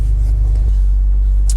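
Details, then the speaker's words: 2000 Jeep Wrangler TJ in cold weather, first start after weeks of no-crank troubleshooting (suspected bad starter), battery hooked up: deep, even idle rumble with no knocks or misses; normal idle. "oh yeah we got our Jeep back guys oh what a relief"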